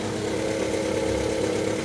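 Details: Fiat Uno 2010 Fire 1.0 after timing belt and water pump replacement, coolant being refilled and temperature monitored: steady, even idle with a soft constant hum and no knocks or ticks.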